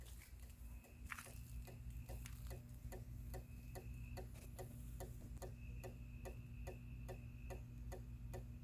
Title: Outdoor Motion Activated Porch Light doesn't work when activated: Makes a constant clicking sound.